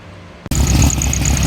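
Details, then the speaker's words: Engine after fixing high rev issue by cutting down the throttle cable adapter shaft: after a brief quiet gap it catches and settles into a steady, low, even idle with no hunting; idle now down where it should be, normal. "Alright guys, as you can see or hear, she's idling a little better."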